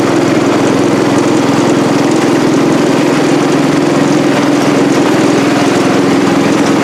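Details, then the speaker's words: Cub Cadet 108 single-cylinder tractor running: steady, even busy exhaust beat, no misses; healthy, though carburetor float sticks and drips fuel when shut off. "all right all right y'all there you have it got it running got it running up through the driveway here or up to the upper shop here"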